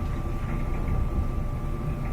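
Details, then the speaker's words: Whirlpool Duet dryer after replacing the screeching idler wheel, whose inner metal bearing surface caused the squeak: steady low drum rumble with a faint constant hum and no squeal or chirp; normal running. "we go no more squeak so it's just this wiill particular this inside metal bearing surface causing the squeak back to normal"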